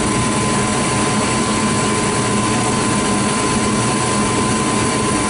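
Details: Furnace that was short cycling, after its flame sensor was cleaned with a dollar bill. A steady, even roar with a faint constant hum, no dropouts or cycling off; the burners stay lit and run smoothly.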